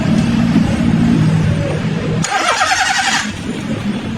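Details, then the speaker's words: 2019 Honda City, crank no start, fuel line disconnected to check: steady starter cranking at about four beats a second with a short hiss, engine never catches; no petrol arriving and injector pulses cut by the ECU because fuel is absent. "मार तो जैसा कि आप देख सकते हैं इसमें petrol नहीं आ रहा पेट्रोल नहीं आ रहा और कंप्यूटर से इसके पल्स भी गायब हो गए हैं"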